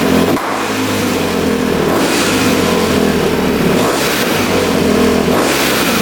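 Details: 2006 Honda CRF250R single-cylinder, fully rebuilt (new bottom end and top), apparently the first start since the rebuild after the throttle screw was adjusted. Crisp bark rises and falls cleanly with each blip, no misses or stumbles; the owner believes a clogged line caused the earlier no-start.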